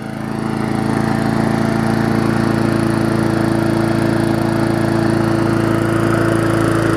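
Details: Murray 3.5hp Classic push mower, final run after full service, new diaphragm, toggle kill switch and wash: even, steady drone at settled speed, pitch holding firm, no surging or misfire; runs smoothly.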